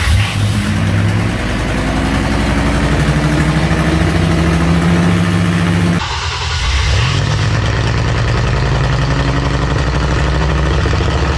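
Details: Oldsmobile-style V6 diesel in a C3 Corvette, started without the bladder: cranks, catches cleanly and settles into a steady, even idle with no stutter or misfire; healthy diesel start.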